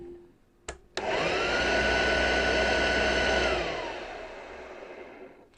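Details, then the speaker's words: Hoover Junior U1104, 300 W vacuum cleaner motor during restoration: switches on with clean rising whine, steady even hum about three seconds, winds down smoothly; motor sounds fine. "the motor on that doesn't sound too bad at all"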